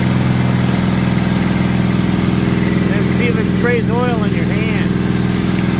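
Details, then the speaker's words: 1970 Honda N600 sedan twin-cylinder engine, revived with carburetor and coil borrowed from another car, fuel lines temporarily rigged: races at a fast steady idle that won't drop, throttle stop set too tight: high idle. "So anyway, sounds great. Actually, if I get it to idle down a little bit, we can really hear it."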